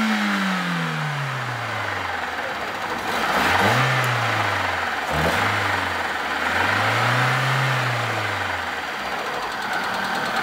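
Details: 2011 Hyundai Accent Era 1.4 petrol at about 540,794 km, after engine rebuild and timing set and oil change: settles from fast idle, then revs smoothly up and down twice with no knocks or rattles; normal running.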